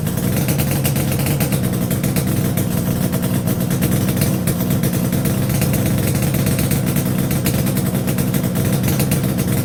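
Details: Yamaha RD350YPVS F2 at first start after a full rebuild (bearings, seals, rebore; plugs were loose on the first run): a busy, crackling two-stroke buzz holds steady under light throttle with no knocking or misfires, running healthy.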